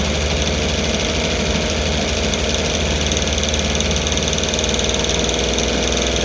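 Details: Rebuilt 1960 Evinrude Fisherman 5.5 hp two-stroke outboard in a test tank, just after first cold start: busy, crackly buzz at a fairly steady speed while choked and warming; runs fine, pumping lots of water, a bit lean.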